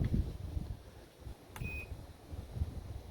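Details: Kenmore Elite washer, model 110.28062800, after replacing the main control board: a single short high beep at power-up as the display comes on. The control responds normally.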